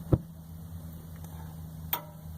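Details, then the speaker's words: Morphy Richards Astel propane refrigerator in a 1958 vintage camper: a sharp click, then another about two seconds later, over a low steady hum and propane hiss as the burner lights normally. "When it goes up, you hear you can kind of hear the propane start hissing, and you hear a little click. It's not very loud, but you hear a little click, and then you know that the shield has come up."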